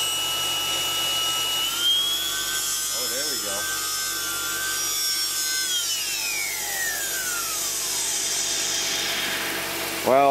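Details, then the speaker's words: 2011 Mercedes-Benz C300, cold, secondary air pump unplugged and powered directly on 12 V: loud high saw-like whine holding steady then sinking as it spins down; worn pump bearing causing cold-start screech, not pulley or power steering. "I don't know what a good one's supposed to sound like, but that one sounds really noisy. So that is the issue."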